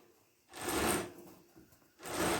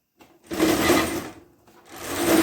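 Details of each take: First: Chinese-made mini bike with long-standing chain drive trouble, chain spun by hand after adjusting both tensioners. Two short whirring, rattling spins as it runs free without binding, though tightening the nut shifts the adjustment. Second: Mini bike with a long-standing chain drive problem, harsh whirring grind rising and dying in bursts as the drive is spun; the chain seems to bind on the jackshaft sprocket, clutch spins freely.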